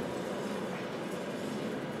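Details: 1995 Ford F-250 two-wheel drive, 7.3 Powerstroke diesel, twin I-beam front suspension, driving: steady low growling hum under road noise from a worn front wheel bearing, later replaced; tire wear ruled out.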